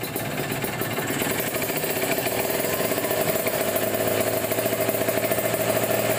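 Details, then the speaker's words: Kawasaki Ninja 150 RR two-stroke, warmed up, after cleaning dirty carburettor jets (pilot 25, main 270) that caused severe misfiring: rapid even firing, revs climb smoothly and responsively from low to high rpm; slight carb snoring without air filter. "sudah lebih enaknya lepas responsif RPM bawahnya juga enak"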